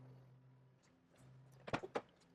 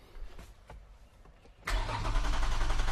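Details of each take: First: 2GR-FE V6 swapped into Toyota MR2 SW20, warmed from 68 °C coolant to near operating temperature, O2 sensor ports still open: low steady hum with no skipping beats at warm idle, clunks of handling near end; earlier misfire gone. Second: Toyota MR2 SW20 with swapped 2GR-FE engine, first start attempt after fuel, coolant and intake plumbing: starter cranks steadily about three and a half turns a second for five seconds without catching; RPM signal present.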